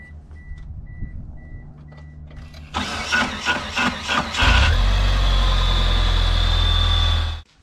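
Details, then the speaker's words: 1997 Mitsubishi Eclipse GS-T: harsh metal-to-metal grinding over uneven cranking pulses for about two seconds before the engine catches and runs. The same noise persisted after swapping to an aftermarket starter; the transmission has to come down to investigate. "what's going on with this car is that every time we try to start it we have a we actually have a really bad cranking noise"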